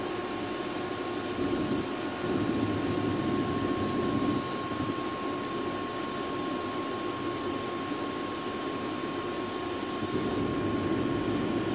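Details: 2005 Boge 40 HP variable-speed compressor, 480 V, 79131 run/1909 loaded hours, at max rpm rebuilding pressure after a ball valve is opened, about 68–70 dBA: smooth even whir with a faint steady tone, no knocks or rattles; normal running.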